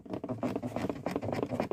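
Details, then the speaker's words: 1999 car door trim panel shaken by hand, giving quick irregular plastic clicks and creaks as the dried-out fasteners let it rattle over bumps. "и такая проблема есть на дверных картах то есть рассыхается крепление и дверная карта на кочках начинает делать вот так"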